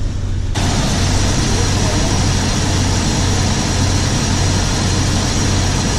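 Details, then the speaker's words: Jeep TJ idling after Walker CARB-compliant catalytic converter and O2 sensor replacement: steady, even low rumble with no puffing or ticking from the manifold joint; smooth idle, the earlier miss gone, exhaust sealed. "Sounds good, feels good. I don't feel any bumps. It was kind of felt like it was missing on the old one with the old O2 sensors. This one feels like it's kind of smooth."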